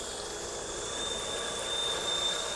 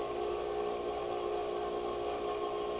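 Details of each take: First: Small farm garden/yard water pump after repair of pressure loss: strong steady rush of water with thin constant electric whine, no gurgling, straining or surging; pump delivers full pressure. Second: Small farm garden/yard water pump that kept losing pressure and prime, just started: steady motor hum with thin whine, then spitting and gurgling creep in; bubbling at a fitting, air leaking in at loose fittings.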